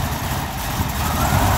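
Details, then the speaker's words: BMW V12 on a cold start: deep, uneven, lumpy idle with wavering rumble, backfires, sputters and stumbles; smooths out once warm; intake manifold and valve cover gasket leaks suspected, not confirmed. "once she's warm she runs smooth as silk but this is ter terrible backfires and sputters"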